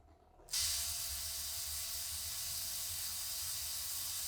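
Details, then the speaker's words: Hornby Ringfield motor in a Class 37 OO gauge model diesel, running at 50% power on DC before opening the motor; starts into a thin, steady high-pitched screech over a hissy whirr. "right that's 50% power now on the layout she sounds a lot worse than that but you can still hear that kind of screeching that's coming from this little ring field"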